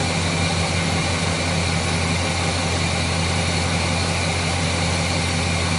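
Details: Chevrolet 350 V8 with long tube headers, after intake manifold gasket repair that cured rough idle and misfire; steady, even idle with a smooth low rumble, no stumble, miss or knock.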